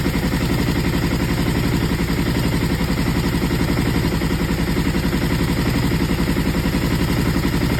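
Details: Aprilia ETV1000 Caponord V-twin idles with an uneven, stumbling beat and missed pulses, a misfire caused by the front cam being one tooth off timing.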